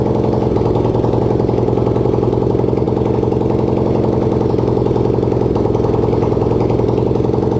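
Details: Racing lawn-tractor single-cylinder engine (250cc, though also called 150cc) on its first start, no exhaust and no throttle fitted: loud, even, crisp open popping at a steady fast idle without missing; runs normally.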